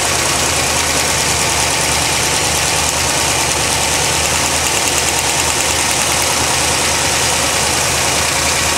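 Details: 1980 Corvette, loud rough idle with fast light ticking, owner thinks plugs may be arcing but taking some parts off makes little difference; engine ticking at idle, cause unknown.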